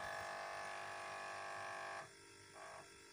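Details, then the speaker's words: Refrigerator drip tray. A loud tinny buzz over the compressor hum drops away when the tray is held by hand, leaving only the motor, then returns. Rattle from a loosened drip tray. "Bunun gevşemesinden dolayı şimdi bakın, tutacağım zaman sesi kesildiğini duyacaksınız."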